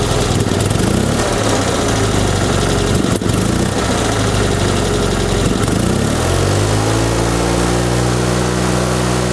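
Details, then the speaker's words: 1974 Fiat 500 two-cylinder engine: lumpy run with occasional sharp pops before it steadies; misfire backfiring through the intake, suspected bad condenser or ignition points firing at the wrong moment, unconfirmed. "also dieses knallen heißt eindeutig und der schießt auf jeden fall in die brücke reihen"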